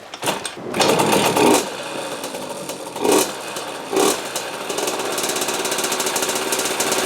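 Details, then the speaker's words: 2003 KTM 50 Mini Adventure 50cc two-stroke, clean carb and fresh gas, previously over-oiled (premix plus oil injection): revs in uneven bursts, sags and nearly dies, still smoking; stalling, likely from excess oil. "All right. So, it's definitely bogging, but I noticed that even when I rev it and it dies out, it's still shooting out smoke."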